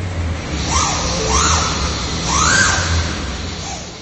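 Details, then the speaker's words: 2021 Ford Ranger whose owner says the engine sounds like a whistle: a high whistle rises and falls twice with revs over a low engine drone; the technician traced it to the turbocharger, with no oil change in 30,000 miles; repairs declined. "technician found the noise to be caused by the turbo, and that the vehicle hasn't had an oil change in 30,000 miles."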